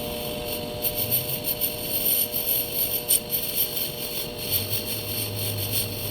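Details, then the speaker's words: Steady high-pitched ringing with uneven rough pulsing: tool chatter while boring the ID of a bench block on a lathe, chucked on the ID; bore finish turned out good despite the noise. "Oh, it's a beautiful bore. It sounded like garbage, but you know what? It looks good."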